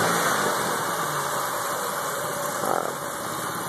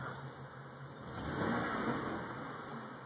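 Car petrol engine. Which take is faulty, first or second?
second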